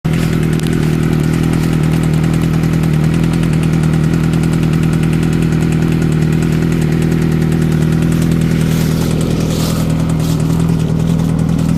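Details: Engine with a steady note and an uneven, irregular pulse underneath, about three beats a second; it sounds bad, and the cause is suspected but not confirmed.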